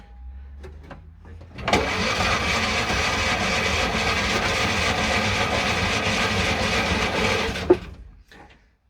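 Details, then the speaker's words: Classic Fiat 500 after electrical problems were fixed so the starter now spins correctly, with quick-start sprayed in. It cranks briskly at about four beats per second for six seconds and nearly catches but never runs. "quite there yet but it's certainly just about to start"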